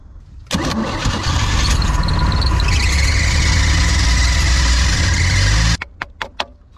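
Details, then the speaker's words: Outboard boat engine with Rochester carb, water found in engine and carb bowl, milky oil: catches and runs rough about five seconds then cuts out, won't hold idle; idle circuit dead, sludgy carb, clogged idle jet. "And it doesn't seem the idle circuit wants to come back to life on this carb, so we'll go check that out inside."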